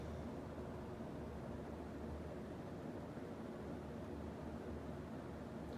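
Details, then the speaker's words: Fasco Charleston 52" third-generation antique brass ceiling fan (1988 per description; 1998 also stated) at full speed: a soft, even low whoosh with no ticking or grinding. The bearings are healthy, with only a very slight wobble. "on the freighter pretty good shape too so they hardly make any noise of anything been very hard verily they ever-so-slight us wobbled but otherwise fan runs real nice"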